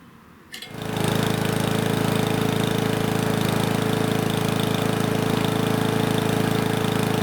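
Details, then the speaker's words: Powermore mower engine after the governor spring tab was lifted in small steps: a steady high-pitched drone with no surging, now just over 3200 rpm on a tachometer, within the ideal 3200–3600. Normal governed speed. "it's arriving at just over 3200 which is perfect"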